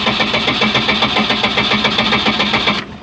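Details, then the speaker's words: 1989 boat, 3.7L MerCruiser MCM 470, cold: steady fast cranking near four turns a second without catching, accelerator pump needs pumping; cold-natured hard start, long cranking, oil pressure about 40 once running. "she doesn't want to start so i'm gonna have to pump the accelerator pump a little bit"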